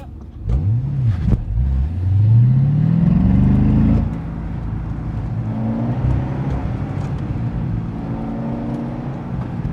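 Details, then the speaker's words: C6 Corvette Z06 with LS7 during an autocross run, with early dry-sump oil starvation feared. Revs rise then falter and flatten under load, losing power; the cause is unknown, a check engine light came on after restart, and it drove home fine. "that didn't sound good it was pulling power on me well I'm not sure what's going on with the car it was sounding really strange it felt like it was pulling power"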